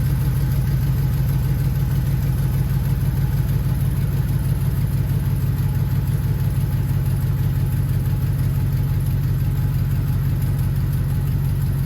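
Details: HD truck "Holly" V8 first fire-up after a coolant leak fix, coolant topped off (possibly overfilled), fan trimmed so it no longer hits the shroud: steady, even low rumble, smooth firing, no knocks, ticks or fan rub; healthy idle, no leaks.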